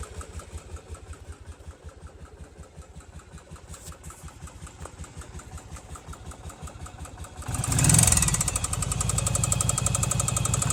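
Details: Yamaha Virago 750 V-twin: steady knocking at about four per second over a lumpy idle, then a rev brings louder clatter; engine knock of unknown origin.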